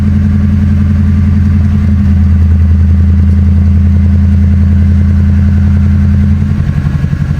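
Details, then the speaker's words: Mercury Grand Marquis 4.6L V8 after replacing a leaking intake manifold, idling on first start: deep, steady, even low hum with no knocks, misses or ticking; runs smooth. A bad blend door actuator is also present. "Man, that thing purring LIKE A KITTEN."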